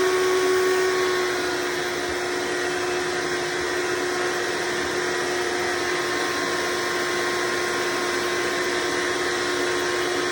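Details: Hoover Decade Soft & Light Elite vacuum (owned since May 2024), first run after replacing 7-bladed fan impeller with 20-bladed upgrade, bearings greased: steady high motor whine with airy rush, even throughout; mostly quieter but still somewhat loud.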